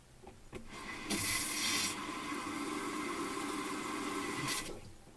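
Steady hiss of water flowing for about three seconds, then shut off cleanly with no dripping afterward; cold side working fine.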